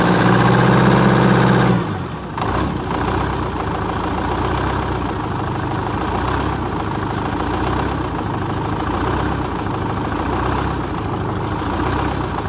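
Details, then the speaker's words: 1978 Chevy Bruin 8V71 Detroit two-stroke diesel, first start after start-up issues were found and fixed, run briefly with no coolant; short whir, then an even idle at about four beats a second, steady and healthy. "that's how cool old Detroit stok supposed to sound"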